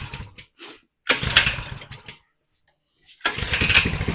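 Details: 2020 Coleman 100cc minibike after tipping over and losing its oil, slightly hydrolocked from overfueling, with a new spark plug: pull-start bursts, catching for about a second each time then dying rather than idling.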